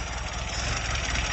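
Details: Lada 2107 four-cylinder at first start just after replacing the radiator, water pump and thermostat, not yet warmed up, checked for leaks: steady, even idle with no misses or odd noises over a short listen.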